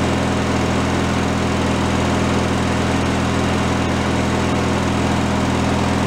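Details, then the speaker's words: Free derelict Craftsman riding mower single-cylinder engine, started by key on fresh fuel after repairs, warming up before an oil change: even, steady putter, no misses or surging; normal idle. "I guess we're gonna let it warm up and then we'll change the oil please idle no problem I'll let that run for a minute or two"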